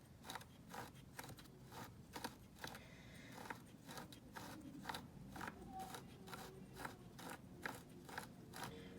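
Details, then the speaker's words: Traxxas X-Maxx front differential, hand-turned: light even ticking about twice a second with no grinding or binding; nice and smooth. "all right check this out nice and smooth again"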